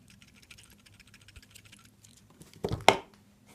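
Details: Seiko SNK809 watch with 7S26 automatic movement: quiet fast ticking, then a loose clattering rattle as the watch is moved; the automatic winding rotor is rattling loose.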